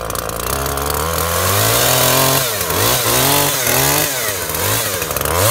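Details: Makita top-handle climbing chainsaw, two-stroke, after ignition coil replacement, air filter missing, cutting wood: crisp rasp bogs slightly in the cut and snaps back cleanly; runs sweet, little chain oil until oiler adjusted.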